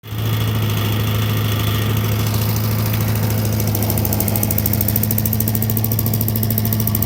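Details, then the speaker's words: Vintage Heckinger leaf vacuum (possibly MTD-made, unsure) with a 5 hp Tecumseh TVS120, after replacing the carb inlet needle, seat and float: a strong, steady, low single-cylinder drone that runs smoothly and sounds healthy. "quite a unique vintage leaf vac they just worked on it's a heckinger"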